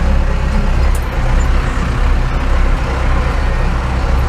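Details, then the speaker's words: International 49 truck with a needle nose, touchy on boost, heard from the cab: the heavy diesel rumble swells and sags in slow waves at low rpm after shifting from second to first. It does not happen at higher rpm, so not fuel loss; surging, cause unclear. "And I shift from second to first is, whew, hear that? Never did that before. It's like surging."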